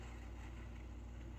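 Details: MSR Whisperlite International stove lighting, using its stock pump, valve still closed: steady low soft roar as priming flame starts vaporizing leftover fuel in the generator tube; normal priming.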